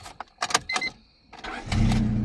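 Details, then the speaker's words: 2000 Honda Civic VP sedan 1.6L SOHC, 225,000 miles, that cranked but would not start when cold after rain because of a cracked, moist distributor cap. After full distributor replacement it catches right away and settles into a firm steady idle. Normal start. "okay somebody's happy holy crap nice oh that's nice oh yeah oh that's nice well that was easy not bad Honda not bad"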